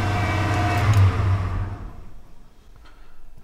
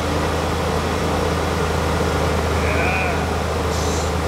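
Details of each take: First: 1991 Ford F-250 5.8L 4x4 just started after sitting about two years: fast steady drone stuck at 2000 rpm, won't kick down to idle; cause found as faulty throttle position sensor. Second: 1991 Ford F-250 5.8L 4x4 after throttle position sensor replaced (now 0.94 V, was 1.9 V): deep steady rumble at even idle, no stumbling or surging, over shop noise; sounds healthy, though smoking from manifolds and valve covers after long sitting.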